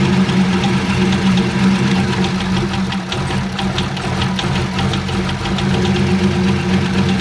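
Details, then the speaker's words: C5 Corvette Z06 at idle in six-degree cold, heard from underneath: sharp, regular ticking about three to four per second over a rough idle, seeming louder on one side, source not pinned down; engine ticking at idle. "it does sound like it's on this side you know it slows down all right all right all right still making that noise"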